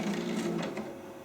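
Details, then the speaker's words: An original Xbox DVD drive, which had a problem, gives a short smooth motor whir with a light mechanical slide lasting about a second; the tray opens cleanly and the eject works normally. "So let's actually grab the disc and try the eject button. Ah, shit. There you go. Oh, it ejected it."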